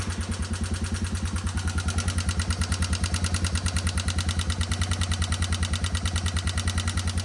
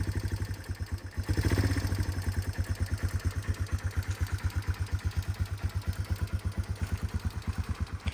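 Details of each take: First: 1989 Yamaha Moto4 200 ATV revived after sitting 15–20 years, idling briefly before a valve check: a sharp, regular tick-rattle about three times a second from the top end; cause unknown, valves suspected first; top-end ticking. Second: 1989 Yamaha Moto4 200 ATV after valve adjustment, revived after 15–20 years sitting; quick, even single-cylinder thumping at slightly raised cold idle while warming up, no clatter, healthy.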